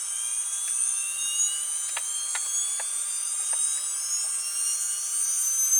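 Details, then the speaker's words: Atlas launcher gyro rotor spinning test, driven at 115 V AC between terminals A and B with an added 270nF capacitor: steady high-pitched whir with drifting thin whistling tones and faint ticks as it spins up; the rotor runs very noisy at full speed. "Okay, so you can hear the gyro spinning, but it is very noisy at full speed."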